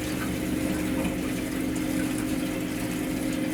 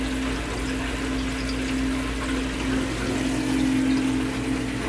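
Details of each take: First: First Company HydroAir system not heating the second floor, after purging air and a stuck feeder: steady, even pump hum with soft water rush, no gurgling or air noise; normal water circulation. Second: HydroAir hydronic heating system not heating the 2nd floor, feeder found stuck: steady pump hum with irregular watery trickling and gurgling through pipes; trapped air in the loop, fixed by a purge.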